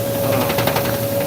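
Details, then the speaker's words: Powder shaker setup: steady mechanical hum with a sharp tone and rapid irregular knocks as the paddle smacks the swaying part on each stroke; every hit makes a horrible sound. "And here, that thing that's swaying right here, the paddle is actually smacking it and it's making it super loud."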